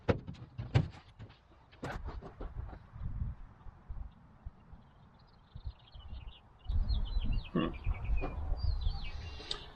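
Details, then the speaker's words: 1949 Chevrolet 4400 truck, not run since the mid-1990s. Valves frozen on cylinders four and five, with intake and exhaust stuck on four. Plugs pulled from 4–6, so it runs on three cylinders: faint, uneven chugging that cuts in and out, running rough. "And then we'll see if we can get it running on three cylinders."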